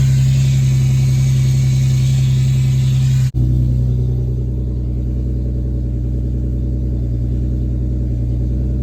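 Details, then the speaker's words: Infiniti G37 driving after a new serpentine belt, a replaced power steering return line and an added CZP power steering cooler: steady low rumble with a light intake hiss, no knocks or squeals. Normal engine and intake sound. "everything feels fine it feels normal but there's just a slow-ass car right there you can hear my intakes it sounds pretty cool a little hiss"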